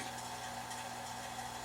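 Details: AC vacuum pump evacuating a Chevy/GMC truck AC system (Silverado, Sierra, Tahoe or Suburban) after compressor work, over 10 minutes in, pulling about 26–28 inches of mercury: steady even hum with low drone and airy hiss, no surging or knocking; pump pulling down smoothly.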